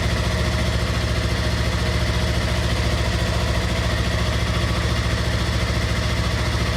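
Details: 2016 Yamaha R3 idling after oil and filter change with 2.5 quarts of fresh oil: steady, even idle with a smooth low pulse and no knocks, ticks or rattles; idling healthily.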